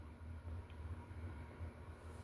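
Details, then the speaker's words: Older flush-mounted unknown-brand 52-inch ceiling fan starting up: a soft, low, even motor hum that pulses gently as it spins up; normal old-fan motor hum, with a scanner audible in the room. "like memorable hum, because like when you were going over to your grandparents' house, that's what a lot of the fans would sound like, starting up and running generally."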